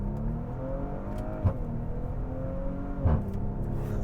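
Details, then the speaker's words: Engine pulls rising through the gears with a brief exhaust pop, a "little fart", at each shift; normal and healthy. "Listen to that little fart on the shifts. Just so cool."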